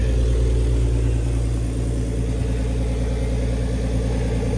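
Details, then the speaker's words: BMW ZHP with turbo conversion, engine nearly warm after a cold start, engine cover off: quick even injector ticking about three per second over smooth idle; injectors just loud, nothing wrong. "You hear these injectors ticking away. I don't know what the deal is with that. Nothing wrong with them. They're just loud."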